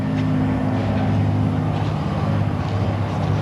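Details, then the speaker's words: Subaru driving on the road: steady low droning hum over road noise, suspected to be a worn right rear wheel bearing before an alignment. "I think that's what it is I think it's in this right [Music] rear yep okay let me see if he's interested in fixing this wheel bearing today"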